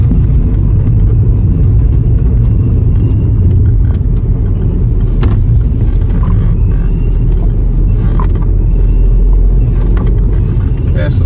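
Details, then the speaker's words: 2011 Skoda Superb rear wheel bearing after replacement, road test drive around 20–40 mph: steady low road rumble, no growl or hum rising with speed; bearing noise gone, quiet and healthy. "I can't hear anything now it's gone perfect"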